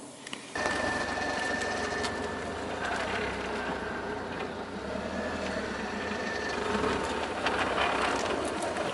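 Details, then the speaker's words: 2001 Audi TT creeping through a tight, slow turn: rough, crispy crackling grinding and rumbling with felt dragging from the Haldex all-wheel-drive coupling, before a Haldex oil and filter change. "so that's the noise I'll put the camera inside the car better here hopefully the hood is not all [ __ ] up yeah it's a very crispy crackling not pleasant yeah rumbling and I feel like I can feel like a dragging also like some metal slippage"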